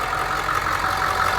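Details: Bus with a freshly installed remanufactured diesel engine, air filter box off, idling briefly before a test drive: steady, even clatter with no odd knocks; normal, healthy idle.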